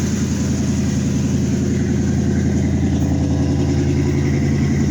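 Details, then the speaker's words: Chevy Caprice just after a new alternator install, jump-started from another car: deep, loud exhaust rumble with a steady, even beat at a slightly raised cold idle, smooth with no misses or knocks; normal cold idle. "Let it do its thing for a minute, and then we'll see what we got. We're definitely running."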